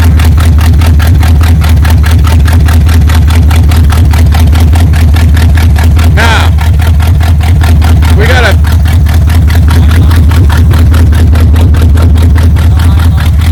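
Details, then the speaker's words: 1978 Chevy K10 V8 after sitting 27 years, revved a little once running: steady, even firing with a deep low rumble and no knocks or misses; it charges, has good oil pressure and temperature starting to rise. Normal running. "rev it a little bit it charges oh yeah oh yeah has good oil [Music] pressure temperature even starting to move oh yeah"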